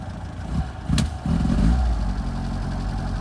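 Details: 1978 FIAT 124 Spider: low, uneven idle with a sharp blip of revs settling back to a lumpy, unsteady beat; rough idle, cause not yet found.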